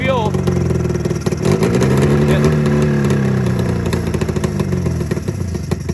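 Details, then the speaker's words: 27-year-old Arctic Cat Mountain Cat two-stroke snowmobile after an ignition coil replacement, with fuel delivery or floats suspected; ragged, uneven putter that stumbles about three beats a second and bogs when throttled; misfire, apparently running on one cylinder. "you see that one that one seems like it's running but this one on the other hand just seems like it's freaking just it's got a"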